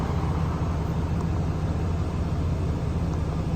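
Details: 2020 Ram 2500 Cummins diesel just after oil and fuel filter change: even, deep diesel idle rumble with no misses, knocks or hunting; running smoothly.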